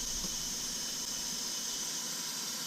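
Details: Nissan 240SX S14 with KA engine, during a boost leak test: a sharp, steady airy hiss under pressure. Pressurised air is escaping from leaking intercooler piping/coupling.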